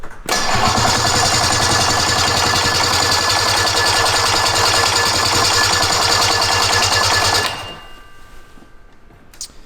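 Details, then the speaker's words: Roughly 50-year-old snowmobile, barn-stored since 2003, on electric start while still flooded: the starter whirs with fast chatter about seven seconds and cuts out. The engine fires once but won't continue; the starter seems to kick out. "Well, the starter's kicking out, but the weight of the flywheel and everything moving and it spinning should lead into the next ignition cycle, but it's like it only gets one shot."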